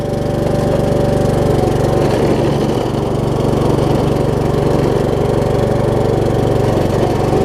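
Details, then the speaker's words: Troy Bilt Pony riding mower, single-cylinder, driving in gear 2 after new drive belts: steady engine with a rough uneven drone on top; something in the drive is noisy, cause unclear. "I don't know if you can hear the noise in the video that this thing's going to make."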